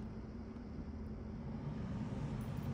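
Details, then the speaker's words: HVAC unit after step-down transformer troubleshooting, fuse replaced, red-to-yellow wire jumped to call the compressor. A low, smooth, steady hum holds even with no rattle or scrape. Normal running. "I've got the red wire and yellow wire jumped and I hear the refrigerant"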